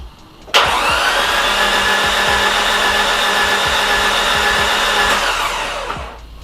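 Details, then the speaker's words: Nissan S13 200SX CA18DET cranking on cylinder 4 test, suspected blown head gasket with water everywhere: steady starter whine with faint soft pops, very little compression; possibly bent valves, cracked head or broken block. "Do you guys hear? There is a slight pop, but I can hear that there's very little compression on that cylinder."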